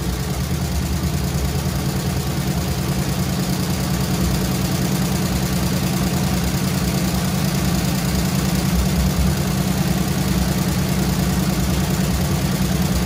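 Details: Squarebody Chevy C20 V8 with flat-tappet lifters, held at fast idle after rocker readjustment, metal found in oil: steady ticking clatter over engine drone, slightly softer with revs; bad lifters suspected, replacement planned.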